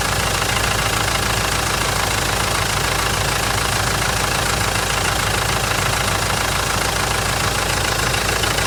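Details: Mitsubishi 4M41 diesel on cold start: steady hard knock a bit over twice a second over a rough idle; cause unknown.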